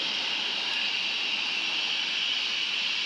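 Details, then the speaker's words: Sinfin, Derby waste incineration plant heard from a distance on a Sunday evening: steady, constant high-pitched hiss-squeal like steam being vented, persistent plant noise reaching the community, source unknown. "it's currently emitting a consistent high-pitched squeal as you can hear like steam being vented"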